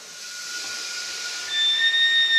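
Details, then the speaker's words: Honda intake manifold boost test with a paper gasket: steady high-pitched hiss with a thin whistle growing as pressure rises; air leaking from the intake manifold, less than before. "Oh, she's leaking somewhere already. A little bit. Yeah, she's still leaking from there. Not nearly as bad."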